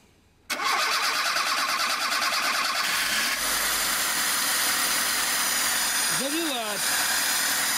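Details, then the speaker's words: VAZ 2106 with carburettor and gas/petrol (LPG) system, won't start when switched from gas to petrol; catches after brief crank and runs steadily on fuel poured into the carb only until the float chamber empties; petrol solenoid valve blocking supply. "а что пытаться она Заведётся но недолго так как бензин у вас не поступает он кончится в поплавковой камере и всё на этом"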